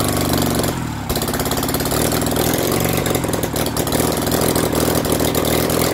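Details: BMW R69S with Kayser Power Kit, first start after engine restoration: lumpy, irregular firing that stumbles and hunts rather than settling; carburettors of unknown origin are troublesome and still need sorting.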